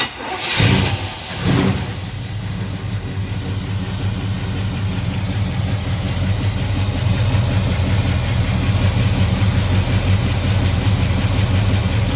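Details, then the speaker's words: 1979 Camaro V8 after replacing rocker arms that were hurting the motor, first start needing pumps and a jump box: cranks, catches, settles into steady lopey idle, no valvetrain ticking, sounds a lot better. Normal idle. "Good. Looks good. Sounds a lot better so far."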